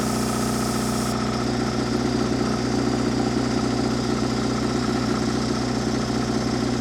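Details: Cold idle of the Deutz diesel on a Miller Air Pak 400 welder, believed late-80s, that had been sitting, about 35°F after dark, started without ether; settles into steady even clatter, no misses or knocks; engine in good shape, normal idle.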